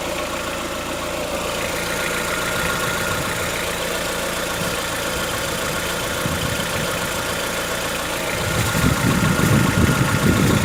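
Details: Chevrolet Onix 1.4 petrol, 2014-15, cold idle: fast, fairly even ticking, about four per second, lasting about 10 minutes after a cold start. Present since new. Owner suspects a tappet or other internal knock and rules out injectors; dealers call it characteristic. Unconfirmed.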